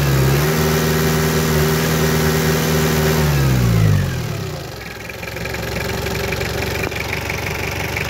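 Diesel revs high, then sags and dies away into an uneven, lumpy beat; it is losing power and close to stalling. Cause suspected, not confirmed.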